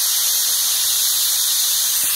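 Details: IPR valve from a 2005 Ford F-350 6.0 Powerstroke that quit while driving and won't start, bench tested with air: constant high hiss, no change when 12 volts applied; faulty valve not sealing, replaced with new one.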